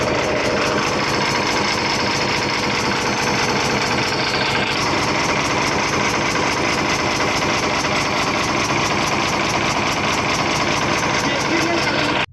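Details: Ashok Leyland BS3 truck diesel at idle after the manifold nut was tightened: rapid sharp chuffing ticks from the middle of the engine ride over the idle clatter, steady with engine speed; tappet cover to be opened.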